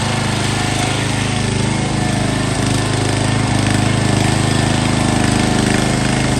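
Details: Found sitting at a boat yard, this MTD Yard Bug riding mower is on a test start. It gives a steady, even low chug at about 220 beats a minute with no misses or surging, running smoothly.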